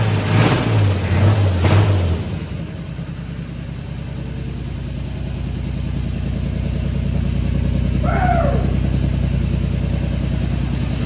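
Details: Fire-damaged 1951 Chevy, carburetor stopped leaking after it was tapped, radiator not yet fitted: low, even beat at steady idle, no misses, knocks or stumbles; normal running.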